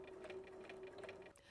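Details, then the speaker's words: Bernina CB sewing machine after cleaning and oiling, previously banging noisily, sewn slowly on the foot control: light, even stitching clatter with no scraping or catching; normal sewing. "I'm using the foot control on this machine I'm just going to take it very slowly to start with"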